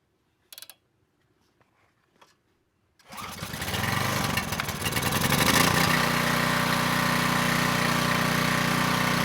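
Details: Coleman Powermate Pulse 1850 generator, 1996 engine, after carburettor repair, unloaded in driveway: handling clicks, then fires and settles into steady, even drone with no misses; normal running, possible slight needle seep.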